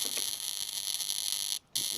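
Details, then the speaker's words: Sharp R-350E inverter microwave, bought 2023, powered on: harsh loud crackly buzz with visible flashes under the board, not the magnetron; arcing at an unsoldered joint on the incoming 240 V circuit, fixed by resoldering. "look at that joint completely unsorted so it's been arcing across this point here"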